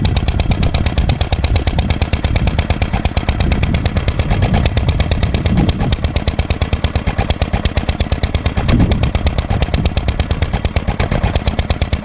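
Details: Granddad's 1946 International Harvester LB hit-and-miss engine, freshly restored, started cold on choke then sped up to full speed, about 1,000 RPM as specified: sharp, regular chuffs nearly three a second, evenly spaced, no stumbles; normal hit-and-miss firing.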